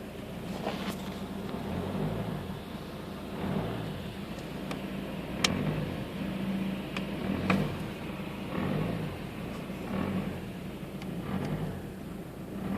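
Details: Peugeot 407 2.0 HDi diesel, cold engine at 1200–1500 rpm: sharp irregular pops and cracks a second or two apart over the steady engine note, right under the bonnet on the passenger side; glow plug box checked, cause unknown.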